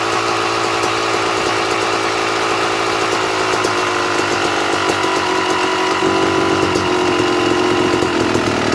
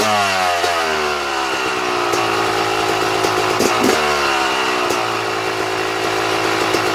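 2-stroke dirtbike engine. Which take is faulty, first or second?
second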